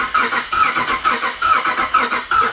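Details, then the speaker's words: Cammed 5.7 Hemi Jeep Grand Cherokee, newly tuned, not yet started after cam install: starter chugs at about three fairly even pulses a second without firing; compression test shows zero on one cylinder. "It's reading zero. >> Yeah, there's our issue. I don't know why, but that's our issue. Has zero compression right there."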